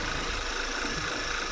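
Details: Engine with failed PCV valve (part 06H 103 495 E), idling hard with a whistle; opening the oil cap gives suction: idle a bit hard and uneven with a faint airy hiss from extra air; rough idle from failed PCV valve.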